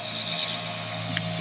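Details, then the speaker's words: Toyota FJ40 with rebuilt 2F engine and Holley Sniper EFI, electric fuel pump jumpered at the relay, pumping into a jug before first start: steady even hum with high whir, no surging or rattle; normal fuel pump operation. "fuel pump cooking along i just got it jumpered on the fuel pump relay block holder there"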